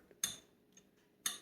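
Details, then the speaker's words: Motorcycle with fully charged battery, key in run, dash and headlight working: two sharp relay clicks about a second apart when pressing start, no cranking; starter relay pops but engine doesn't turn over, battery suspected bad. "you can hear that relay popping so it's got enough juice to try and start but it's not turning over it's not that it's not starting starting it's not turning over"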